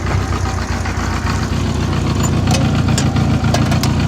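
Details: 1984 Honda Goldwing Aspencade flat-four, restored, idling: smooth low burble with light handling clicks; even and healthy, though owner suspects a small exhaust leak of unknown source and a minor valve cover leak.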